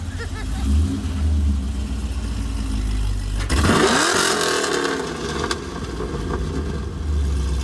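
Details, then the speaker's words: Chevy SS LS3 V8 after a catch can install: deep, steady burble, then one sharp throttle blip that rises cleanly and falls back to a smooth, even idle, engine sounding healthy. "All right. Let's make some noise. Just one time though."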